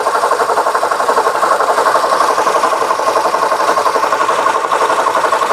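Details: 2009 Honda Civic, listened with probe away from the A/C compressor: steady even engine hum, no grinding or scraping there; that area sounds normal, grinding traced to a failed A/C compressor.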